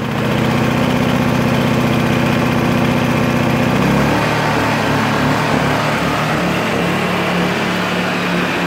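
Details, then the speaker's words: Ryobi RYi2200 2000 W inverter generator, started cold in a garage on regular mode: steady drone at high idle, then the pitch settles and shifts as it adjusts; running healthy. "When you start it up initially, it does kind of go through a high rev cycle. And then it'll cut down. It'll probably drop maybe about 70% or so in volume on standard idle."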